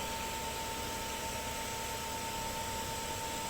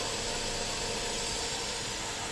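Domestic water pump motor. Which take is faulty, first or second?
second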